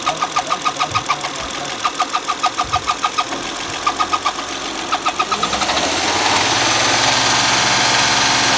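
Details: Honda Accord running with the drive belt removed: a sharp, repeating chirp of about three per second, tracking engine speed. Front cover removed and a damaged camshaft lobe found.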